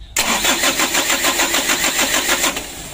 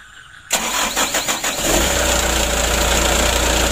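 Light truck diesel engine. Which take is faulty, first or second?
first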